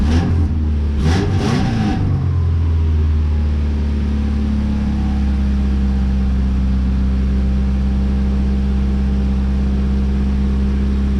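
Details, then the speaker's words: 2000 Subaru Impreza RS mid JDM 6-speed swap, started in neutral with check engine light on, transmission missing: right after catching, steady elevated hum holding high without dipping; expected high idle for a while after start. "Oh, because it thinks it's a neutral, but I still can't take out the key until I get this off, and then it'll probably idle high for a little while."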